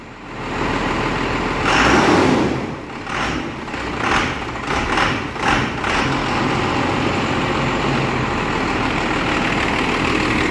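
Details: 12-valve diesel hotshot truck in the shop, smoky, with a broken timing pin noted. After revving and cranking it settles into a steady, even clatter with no misses or hunting, called a perfect idle.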